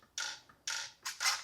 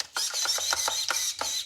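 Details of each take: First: Traxxas 1/16 Mini E-Revo VXL steering servo damaged after a skatepark crash, won't steer left: short strained whirring buzzes in four quick bursts as it jerks and sticks; binding steering servo, to be replaced. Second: Traxxas 1/16 Mini E-Revo VXL after replacing its crash-damaged steering servo with a Traxxas 2080R metal-gear servo: short, clean high-pitched whirring bursts as the steering sweeps side to side, no grinding.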